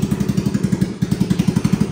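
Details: Hammerhead 250 ATV, first start via jumper with the airbox off, idle turned down: an even putt-putt of about eleven firing pulses a second, steady and unhurried; a healthy, slightly lowered idle.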